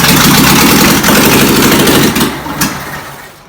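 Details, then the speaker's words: 1959 VW Beetle sitting over 40 years, original distributor needing work; loud uneven labouring crank that fades without catching cleanly; plugged carburetor starving fuel, needs rebuild; hard starting, clogged carburetor. "Carburador no sirve. It's plugged up. Yeah, carburetor is clogged."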